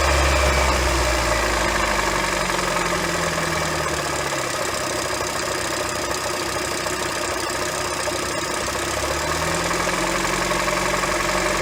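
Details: 2007 Honda Fit cold start at idle with a steady knock of about four per second as revs dip and rise. Suspected rod knock or piston slap; actually a worn AC compressor pulley bearing, replaced with NSK 35BD219DUM.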